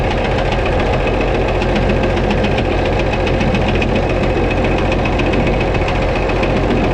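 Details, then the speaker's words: White 2-155 tractor awaiting engine work, blow-by normal, exhaust clear, oil pressure normal: heavy steady running with a deep internal hammering knock and occasional uneven beat; sounds like it is missing slightly – engine knock and slight misfire, cause not yet found. "I'm gonna shut it off it does sound like it's missing just a little bit not quite running right"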